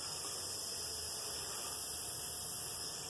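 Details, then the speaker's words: Small RC car cooling fan, used on many cars and packed with dirt, run on a AA battery pack with an on/off switch: a steady high airy whirr with an uneven, rough edge, yet it still runs. "this one's been on a lot of different cars it has a lot of dirt in it doesn't sound the best as you can probably hear"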